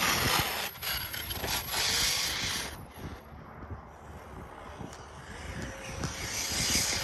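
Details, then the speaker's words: ARRMA Mojave EXB RC truck: crunchy, harsh uneven scraping and ratcheting rasp, bearings seem okay, cause unclear at the time; drivetrain grinding until the truck stopped going. "Sounds a bit crunchy. Sounds a bit crunchy. Could be anything. Yep. Bearing seem okay. Certainly doesn't sound good."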